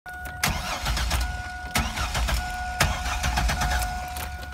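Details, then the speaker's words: 2000 Chevy Astro van with 4.3 L engine: the starter turns the engine over at an even, steady rate with no firing. It cranks but won't start, having earlier started briefly and stalled at idle; a failed crankshaft position sensor is blamed. "we got a crank but we don't have a start"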